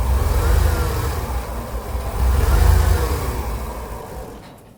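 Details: 1999 Ford Econoline with a 4.9L inline-6, commercial vehicle, no check engine light, drives OK: a deep, uneven idle that surges and sags, then fades as if about to stall; the MAP sensor reads 90 instead of about 112 under vacuum, so it's faulty and will be replaced.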